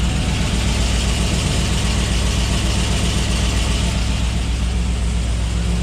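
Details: GMC Denali with cammed 6.2 V8 (BTR stage 2 truck cam, 2800 Circle D stall), first start on fresh build, idling only without revving: deep, choppy, loping idle, uneven rhythm but steady speed, no knocks; healthy big-cam idle.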